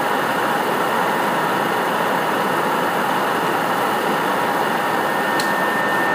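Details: PS4 CUH-1216A (C-chassis) running Witcher 3 (digital), lying horizontal on a media center 15 cm from the back wall, peak about 63 dB: loud steady rushing air with a thin constant whine. Loud cooling fan noise.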